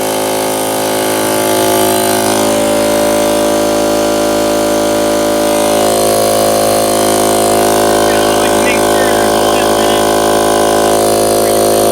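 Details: Harbor Freight piston air compressor after replacing a blown head gasket (before repair it would not fill): runs loud and steady with an even hum and rapid regular pumping, sounding healthy.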